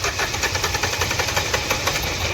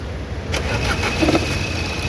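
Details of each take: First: Nissan Terrano diesel, code P0203, just started; clatters with an uneven, stumbling beat, dropped pulses and knocking, heavy misfire; one injector suspected not working. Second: Nissan Terrano diesel, code P0203, after injector service and replacement of one faulty injector coil; check light on, possibly because the MAP sensor is unplugged. The starter cranks briefly, the engine catches cleanly within half a second and settles into a steady, even idle.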